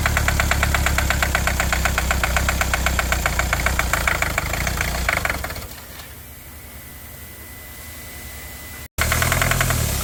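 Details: 2020 Kia Sportage at startup: a rapid, steady knock of about four per second rides over a shaky idle, then fades as the engine settles. This is internal engine knock with rough idle; the engine was later disassembled.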